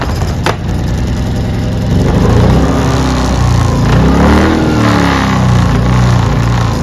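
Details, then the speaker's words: Ryobi 2300W inverter generator starting, then idle surging up and down badly; running rough, fixed by thoroughly cleaning the carburetor, especially the clogged pilot jet. "this one in particular is here today because it's running pretty bad it's surging up and down like crazy so let's give it a start so you guys can see how it's running"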